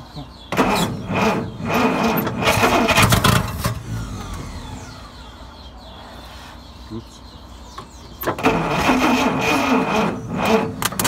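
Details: Dodge D300 slant six military truck, first start attempt after long storage, petrol in carb: starter cranking bursts, pause, then engine fires and runs rough and uneven; water leak at thermostat housing noted after.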